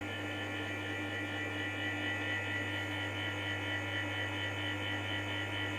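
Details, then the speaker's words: MAX BS-141H-2 bathroom dryer fan, made 2014, used about 8 years, noisy for about a year, before bearing replacement: a heavy steady hum with a coarse whining drone. Fan shaft bearing noise. "disassemble MAX BS-141H-2 made in 2014 The cause of the noise is the bearing in the fan shaft"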